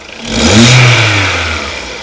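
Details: Skoda Rapid 1.6 16V CFNA, warm, after exhaust manifold cracks were welded and a catalyst backpressure gauge fitted in the upper O2 port; one clean blip rising and falling back to idle, no knock or puffing; sound normalized, normal rev.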